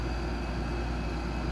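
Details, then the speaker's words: West-facing window air conditioner in afternoon sun, 90–95°F, humid, on high set to 70°F, drain plug pulled with condensation still building: steady, even low whoosh and hum, no rattle, knock or cycling; normal running. "some might say that this thing is working harder especially now that i have it on high and set to 70 degrees which means that it kicks off at 68 degrees"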